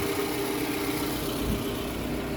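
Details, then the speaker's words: Toyota Alphard ANH20 after balancer shaft replacement and an oil and filter change: a steady, smooth idle with no top-end ticking or rattle. The earlier rough noise came from poor oil circulation to the head and camshaft, now lubricated. Slight remaining roughness comes from a worn rear idler pulley bearing. "ini suara mesinnya udah normal lagi ya. Karena ee bagian silinder head atau yang noken asap yang di atas itu sudah terlumasi dengan baik."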